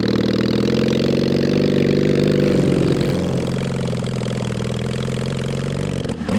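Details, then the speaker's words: Mid-1970s Honda CB750 SOHC four swapped into 1980s Suzuki Quad Sport 230, first ride, no real exhaust: uneven stumbling note under load, occasional misfire, briefly clears; runs rough, suspected carburetors, exhaust or worn points ignition. "yeah but well done man uh it runs like garbage but uh i mean you were still able to jump in and do bootlegs"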